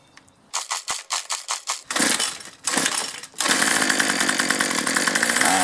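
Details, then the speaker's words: 2-cycle string trimmer with poorly working primer bulb, unused about a week, before fitting an aftermarket carburetor: several pulls sputter and die, then ragged uneven revving never settling to a clean idle; faulty carburetor. "I'm getting tired of fighting with this thing I can usually get it going but that's why I went ahead ordered an aftermarket carburetor thought for under 13 bucks"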